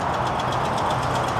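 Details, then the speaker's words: Ram Longhorn Hemi V8 idling with a sharp, regular tick about eight times a second: exhaust leak at the manifold from a broken manifold stud, before new manifolds are fitted. "Well, based off the noise, I can kind of guess what we got going on. Yep. Uh exhaust leak or a manifold, I would assume."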